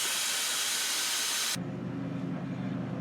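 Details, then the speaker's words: "Deuce and a half" military diesel truck, just started with a little ether after injection pump and fuel delivery problems: a loud steady hiss of compressed air cuts off sharply over low diesel rumble; air leak somewhere in the air system, not yet located. "well we have an air leak somewhere we gotta find it"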